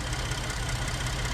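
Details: Ford F-150 3.5 after water pump replacement, running with previous noise gone and no leaks: smooth, low, steady idle hum with no whine, squeal or knock; normal idle.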